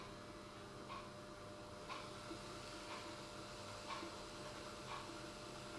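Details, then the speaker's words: Dapol Class 09/08 O-gauge shunter crawling at slow speed after greasing the main gear and running-in on a rolling road: faint steady motor hum with a soft tick about once a second. It crawls well, with the noise only slightly reduced. "And that is very nice. Well, has it made a difference? It has made a small difference. I don't think the noise is going to go completely away, but I think it's slightly quieter from listening to the two samples."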